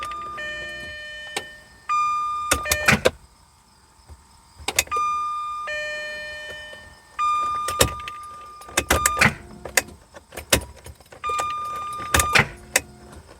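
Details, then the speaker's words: 1994 Jaguar XJ6, stored several months, towed in as a no-crank: warning chime and bursts of sharp clicks as the key turns but the engine doesn't turn over; starter engages without cranking, starter relay suspected. "can hear the starter engaging but it's not cranking"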